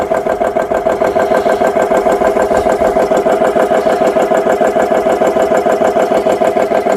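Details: GX CS3 high-pressure compressor after repair with four new O-rings, no filter fitted, filling an air gun toward 3,200 PSI, now near 2,700-2,800 PSI: steady piston thumping about three strokes a second with even mid-pitched hum; pumping smoothly and healthy.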